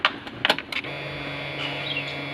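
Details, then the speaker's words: BS6 bike with a starting problem, key-on after a new battery replaced the 14–15-month-old one: a few clicks, then a steady even electric hum for about two seconds; normal fuel pump priming, though a warning light stays lit. "Okay, இப்போ எப்படி இது pump வேலை செய்த இங்கே பாருங்க. On பண்ண பக்கா pump பக்கா வேலை செய்யுது."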